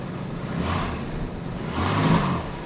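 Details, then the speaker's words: Late US-market Jaguar XJ6 Series 3 (possibly 1986–87) 4.2 fuel-injected, after fuel hose replacement and fixing loose injector connector that caused misfire: cold engine, two gentle rev rises, even and smooth, all cylinders firing cleanly. "still cold but warming up and running really well"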